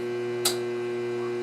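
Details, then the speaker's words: Whirlpool washing machine after fitting a new motor and bypassing the lid switch: fills, then a constant fixed-pitch electrical buzz with no spin-up, wires warm; motor hums but does not spin, motor probably not the cause, cause undetermined. "it fills and now it started buzzing again that's not"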